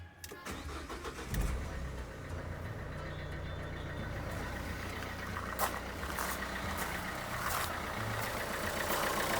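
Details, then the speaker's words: Renault Kangoo 2, 1.5 dCi diesel, after replacing the alternator overrunning clutch pulley (alternator bearings fine, charging OK): steady even idle, low rumble, the earlier metallic ticking, jerks and clicks gone; normal idle. "Давайте перевіримо. Все працює. Тишина. Цих ривків, щелчків нема."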